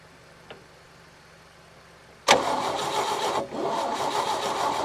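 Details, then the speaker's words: 1961 Chevy Biscayne 235 inline-six, three-speed manual, sat 30+ years in a junkyard; starter spins it with an even chug, about three to four beats a second, never fires; valves move, carburetor has fuel, timing issue suspected; cranks, no start. "so we don't have a stuck valve we have fuel in the carburetor it's got to be a timing issue just has to be"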